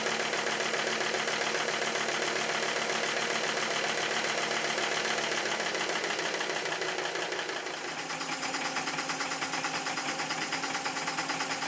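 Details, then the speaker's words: Stuart S50 steam engine on compressed air after shortening the slide valve, driving a dynamo and lamps; quick, even chuffing about three beats a second with busy mechanical clatter; eccentric throw possibly not quite right; smooth running. "I really think this is about as good as I can get this engine to be maybe the throw of The Eccentric ship is not quite as it should be it easily Powers the Dynamo and lights the lamps very well"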